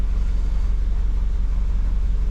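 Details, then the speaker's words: Honda Civic daily driver with a cylinder 2 misfire and limp mode, after clearing codes and an idle relearn: low, steady, even idle with no stumbles or misfires, settling at the right speed. "Revs just fine. No misfires. Stops it idle where it needs to."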